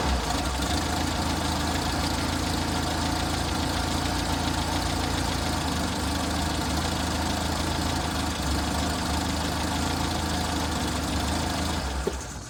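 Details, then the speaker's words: Six-wheeled Toyota truck after fuel tank replacement, new fuel filter and fuel line, left idling: low thrum wavering and sagging instead of steady, rough hunting idle; fuel filter didn't fix it, owner next suspects ignition. "Same problem. So, replacing the fuel filter, that was a good thing to do, but it didn't necessarily fix my problem. I'm still having that same odd idle."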